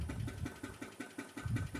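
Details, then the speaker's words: 2006 Dodge Magnum R/T running after long storage and new fuel pumps: at idle, even pulsing knocks come about five a second over a low rumble; owner thinks it is not a bearing, cause unknown, and suspects the transmission is empty. "I don't think that's a bearing or anything like that. It doesn't sound like that. There's something else that's not right."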